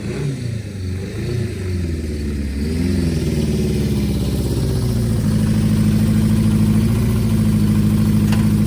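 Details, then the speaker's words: 1973 Honda CB500F four-cylinder café racer after carburetor tuning with a vacuum gauge, a few light throttle blips then a smooth, even idle with steady firing and no misses; running healthy. "figured I would show you guys what she sounds like she sounds pretty good"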